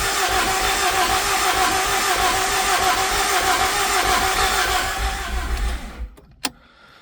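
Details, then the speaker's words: Honda Accord CB9 with freshly swapped-in F20B engine, cranking with clutch switch jumpered and oil pressure switch not yet connected; steady even cranking about three turns a second, no catches or clunks, turns over smoothly. "But, it sounds good and it sounds like it's cranking over very smoothly."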